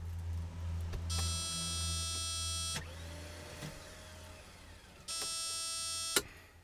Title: Won't start